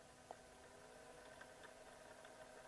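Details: Small DC motor salvaged from old printer/copier, bench powered from a supply stepped up from 0 toward 24 V, here around 1.3 to 3.9 V: faint even whir with light ticking, no grinding; running healthily.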